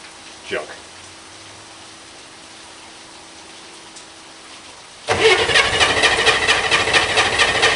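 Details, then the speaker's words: Corvair-powered Spyder on a cold, rainy day, with the choke held closed: after a pause the starter spins the engine in a steady, fast churn for three seconds but it never catches. Cranks but no start; the owner suspects flooding. "junk i don't know what's wrong rather drive it and pull it in the rain chokes closed now it's flooded"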